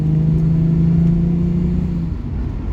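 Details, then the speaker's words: Jaguar XJS 5.3 V12, 3-speed TH400 automatic, full throttle from about 30 mph in D with the kickdown disconnected: steady deep drone holding one pitch with no sudden downshift, staying in the high gear and only changing down to second near 60 mph. "So this is full throttle from about 30 miles an hour in D without the kickdown functioning."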